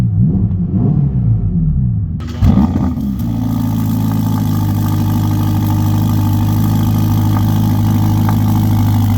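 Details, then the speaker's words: 2025 Ferrari Roma Spider, 3.9 turbo V8 F154, 620 hp: cold start catches fast, flares briefly, then settles into deep, even, steady idle, no knocks or misses; healthy. "Ach, odpalaj na zimno jest cudowne, a potem słychać, że jest potencjał, ale prawdziwy dźwięk dopiero słychać pod obciążeniem, czyli przy mocnym przyspieszaniu."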